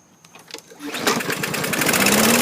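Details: 2017 MTD push mower, Briggs & Stratton engine, after clearing debris from breather tube: a couple of pulls, then catches and settles into steady even run rising smoothly to speed; normal running.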